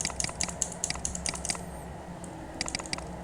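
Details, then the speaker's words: Mechanical keyboard L key switch tested before cleaning: rapid clicks at uneven spacing, some crisp and some dull; inconsistent click sound indicates a dirty switch causing double-click. "Nah, ini dari suaranya juga enggak beres intinya ini ya."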